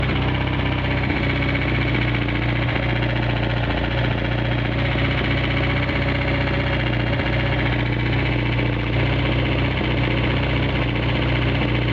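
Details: 1G DSM four-cylinder at idle: a dull, rhythmic knock under a steady low rumble, believed to be rod knock. The oil was later found milky white.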